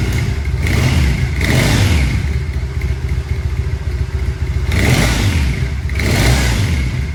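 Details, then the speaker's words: Triumph Bonneville SE 865 twin idling with stock silencers before the D&D Predator pipes are fitted, in the garage, soft, even thump and quiet exhaust with light throttle blips; normal idle. "so that's what she sounds like as standard let's swipe the pipes off"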